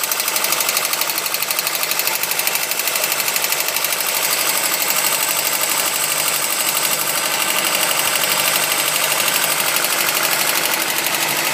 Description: Golf mk1 rattle sound on further investigation I looked at the water pump pulley and saw it wobbling and it was banging against the pulley cover, so I still have to fix it.